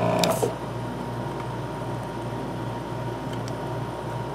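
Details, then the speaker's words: Hakko 470 desoldering station with 802 gun, vacuum pump after new valve plates fitted and cleaning (previously weak then no suction): steady low electric hum with even buzz, no rattles or surging; running smoothly with good suction. "so it's together on piece now already I can feel as a lot of suction when I do this"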